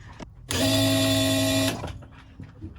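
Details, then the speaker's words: Nissan Silvia S13 CA18, E85, new Bosch 200 external fuel pump replacing 044, feeding surge tank, first power-up: clean steady electric hum about a second then stops; priming normally, fuel pressure building, no leaks. "Something's happening. We're getting fuel pressure."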